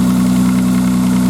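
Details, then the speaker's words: 1995 Nissan Maxima, cold start: fast, even plasticky ticking about fourteen a second over a steady idle, gone after about three minutes warm; owner mentions exhaust leak or tensioner, cause unconfirmed. "I'll get her going here and I'll show you what I'm talking about kind of a tick tick and they got an exhaust leak apparently this is a tension there problem on this engine [Music] but it only does it when dartnet up cold for the first sounds like plastic on plastic"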